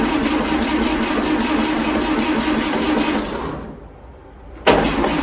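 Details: 1939 Austin 12 with freshly gapped spark plugs: the starter turns the engine over at a steady four beats a second but it never catches, so it cranks with no start. Cause unknown.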